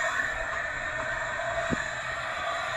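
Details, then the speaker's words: Dead Suzuki DRZ400S motorcycle, engine stopped, leak-down test at about 90 PSI: constant air hiss out the exhaust, no radiator bubbles; suspected leaking valves, valve cover to be removed. "you can hear some hissing coming from the exhaust faster from the intake so I'm going to rip off the the valve cover and see how um see if these valves are leaking"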